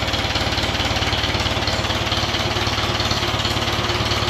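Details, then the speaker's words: 1959 D-17 tractor after restoration, tune-up and new exhaust: even steady firing pulses about three per second, no knocks or misses; normal running, nice and smooth. "Of course. It sounds good. Nice and smooth."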